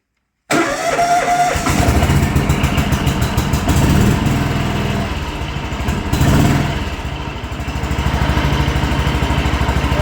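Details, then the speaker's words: John Deere 325 lawn tractor after adding push-button start in place of failed ignition switch start position: brief crank, fires quickly, runs steady with no stumbling; normal start and idle. "seems to work good."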